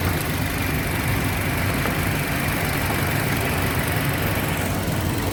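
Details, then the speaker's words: 2007 Toyota Yaris petrol engine at idle with the AC on, after fixing the faulty ignition coil that caused misfire and hunting: smooth, even idle with no stumbles, misses or hunting. "कोई meeting नहीं कुछ भी नहीं है एक letter दीजिए हुआ है कर दो कर दो मैं अभी कोई प्रॉब्लम नहीं है"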